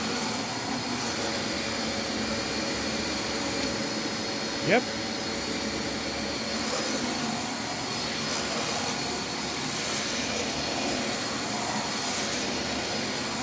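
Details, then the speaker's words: Dyson vacuum: steady high whirring roar with a thin whistle on top; an abnormal running noise, with the brush roll seemingly fine but its end cap cracked, and the rear valve not closing properly. "give us a run makes the same noise that mine did brushroll seems fine"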